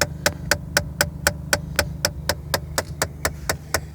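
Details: 2003 Saturn Ion with 81k miles, sharp steady clicking about four times a second from behind the dash near the heater fan over low fan hum; speed varies, recirculation button sometimes stops it; cause unknown.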